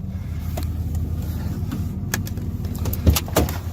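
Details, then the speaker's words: 1992 Ford F-150 4x4 with 302 V8, sat 10 years, old gas drained and five gallons of fresh fuel added: low, slightly uneven loping idle with clicks and thumps, running a bit rough; plugs, wires, cap and rotor not yet replaced. "Runs a little rough. [Music] Not bad for sitting for 10 years."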